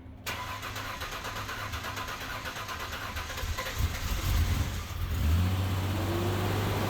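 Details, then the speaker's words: Ford Sport Trac engine's first start after reinstalling cylinder heads, head gaskets, timing chains, front cover and water pump (broke in March, running in October): a few seconds of cranking, then catches and settles into a steady, even, smooth idle. Normal. "Well, that repair took longer than I care to admit. It broke all the way back in March, and it's running again now in October."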